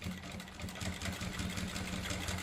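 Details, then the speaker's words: Sewing machine stitching through nine to ten layers of jeans fabric with a size 16 needle, after oiling the needle (and soap for thick cloth); the sound changes to a soft, even whirr with no heavy thumping, stitching smooth. "तुम्ही direct पाहू शकता direct आवाज change झालेला आहे मशनचा तुमच्या लक्षात येत असेल"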